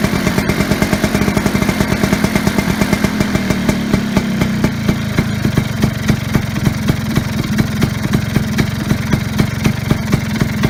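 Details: Vespa Sprint Veloce first start after wiring harness repair: catches right away into an even, rapid two-stroke putter with regular firing and no misses; normal idle.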